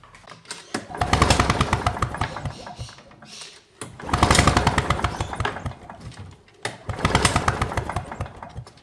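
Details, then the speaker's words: Victa two-stroke PowerTorque lawn mower, plug lead grounded to block in run position: three pull-cord rattles spin the engine with no firing; absolutely no spark at the plug. "as you can see there was absolutely no spark there coming from that spark plug"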